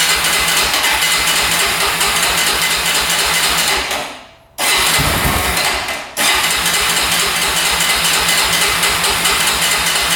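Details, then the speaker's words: 2004 Honda 400EX quad after carb clean, valve adjustment, new coil, boot and spark plug: raspy revs hard, drops out twice and stumbles back, backfiring; still bogs under throttle, coil ruled out, cause unknown. "I can hear backfiring like crazy. Yeah, I don't think the coil was a problem. Still doing the exact same thing."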